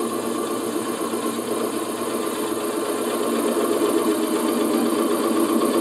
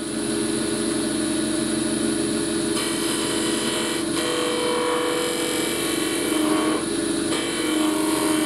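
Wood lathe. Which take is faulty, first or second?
second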